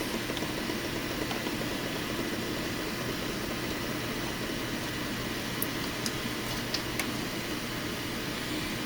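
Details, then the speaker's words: FSP 300-60GHA PSU with replaced output capacitors, rails at 11.97 V, 5.05 V, 3.33 V: only soft steady fan hiss, no whine, buzz or cicada chirp; normal quiet running. "3.33 you if you listen there's no wine no hissing sound it doesn't sound angry it doesn't sound like a cicada"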